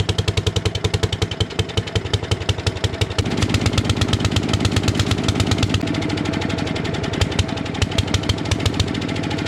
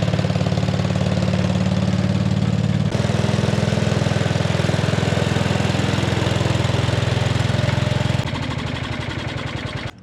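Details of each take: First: 1957 Gard'n Mast'r tractor, Briggs & Stratton series 23 9hp engine, parked for decades, with a brand new carburetor leaking gas: lumpy, uneven single-cylinder beat near 170 per minute that stumbles and hunts; running way too rich from a flooding carburetor. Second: 1957 Gard'n Mast'r tractor, Briggs & Stratton series 23 9 hp, revived after decades parked, points wired directly to coil and battery: steady even single-cylinder thump at fast idle, warming up, clean shutoff; runs properly.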